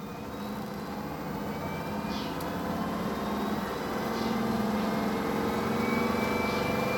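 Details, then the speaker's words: BAAM001 home treadmill after about one year of use, incline 5, speed raised from 1 to top speed 14: quiet, smooth motor hum rising slightly as the belt reaches top speed, no grinding or knocking. Normal motor hum. "เสียงก็เป็นเสียงมอเตอร์นะครับใช้ความเร็วสูงสุดมันก็มีเสียงหือธรรมดานะนะครับ"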